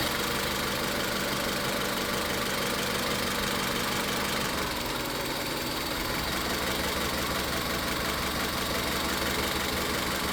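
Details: Engine idling rough during a cylinder power-balance test: coil disconnected on cylinder 3 changes nothing, confirming the misfire is in cylinder three and not a spark problem; uneven, lumpy stumble with a change in tone partway through.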